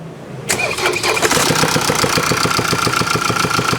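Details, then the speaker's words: Mercedes-Benz shipped by carrier from Seoul to Busan to avoid further engine damage: right after start-up, a sharp, steady tick about three to four per second over the idle, called an engine near death; worn cam followers. "소리가 잘 들리십니까 복 예이 소리가 들리시면 어 엔진 사망 직전의 소리입니다 그러니까 반드시 가까운 곳으로 가야 됩니다 어디로 정비소로"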